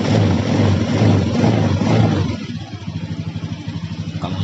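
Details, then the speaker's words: Honda Beat eSP scooter with a healthy replacement battery (12.3 V): revs freely, then drops to a steady, even idle of about two and a half pulses a second. Charging 13.6–14.5 V on throttle; the weak original battery was confirmed as the cause. "Jadi sekarang kita nyalakan motor, kita nyalakan gas."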